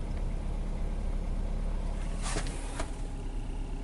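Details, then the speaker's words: 2015 Hyundai Accent, not yet warm, tachometer reading zero, codes P0335 and P2188, stalling and running rich: low uneven idle with a loping stumble about three beats a second; misfire suspected, not confirmed. "yep definitely have a rough idle to it"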